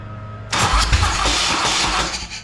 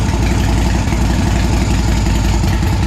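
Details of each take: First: Custom motorcycle with a big-inch S&S Evolution-style Harley V-twin, revived after sitting about 20 years: harsh, uneven cranking whir that nearly catches and then fades. The heat-soaked starter quits once warm and is worn out; it was replaced. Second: Custom motorcycle with big-inch S&S Evolution-style V-twin parked about 20 years, revived with choke: deep, even lope holding steady without misses or knocks; normal idle, running cleanly again.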